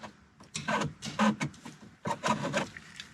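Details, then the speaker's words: VW Mk1/Mk2 Cabriolet with AC, vacuum-controlled dash vent selector lever moved with vacuum gone: short squeaky rubbing creaks each push, like rubber fighting itself; dry, sticking selector needing silicone lubrication. "if you listen closely this lever specifically is almost always hard to move and it makes weird noises when you move it"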